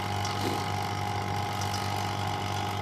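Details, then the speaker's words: Refrigerator vacuum pump evacuating the system, gauge at -30: steady, unchanging hum with even mid tone, no surging or gurgle; sound no longer changes, meaning vacuum is complete; normal running. "कुछ नहीं बदली, मतलब कि vacuum हो चुका है।"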